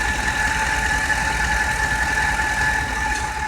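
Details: Ford with the engine idling, noise unchanged when the steering wheel is turned; steady high whine over a smooth idle that never changes pitch; worn tensioner pulley bearing.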